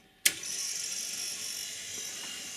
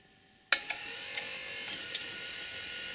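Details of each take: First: Rock-Ola 456 jukebox with a selection made: sharp click, then steady high whirring that never settles as the carriage keeps searching without finding the record; owner suspects a carriage or solenoid gear problem, or dirty contact wipers, unconfirmed. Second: Rock-Ola 456 jukebox under restoration: steady high motor whir with a few sharp mechanical clicks as the carriage travels and stops cleanly at its home position; normal carriage return.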